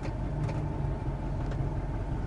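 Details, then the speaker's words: Truck with lost power and hesitation, exhaust opened ahead of the catalytic converter to test for a plugged cat: deep, loud, rough tractor-like rumble at idle; power returned on drive, confirming a locked-up, plugged catalytic converter. "start up and remember you will get check engine so don't worry and that's gonna sound a lot gnarlier but you gotta do what you gotta do"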